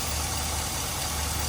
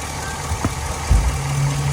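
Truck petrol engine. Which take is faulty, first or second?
first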